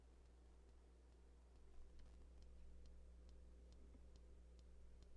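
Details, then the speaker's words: Klipsch RT12 subwoofer amplifier power supply during repair: faint regular ticking about twice a second over a low hum as it tries to start but never fires. Rails rise very slowly, under 1 V where about 8 V is expected. "actually hear something clicking. So it sounds like it's trying to fire, but it's not actually firing."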